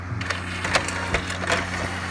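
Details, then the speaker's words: Pioneer CLD-D503 double-sided LaserDisc player, laser sled previously stuck at end of travel with dry rail, powered on after freeing it by hand: steady low hum with light spaced clicks and whirs, no rattling skip; sled now moves normally. "let's try and power it back on and just see if it moves for you yep"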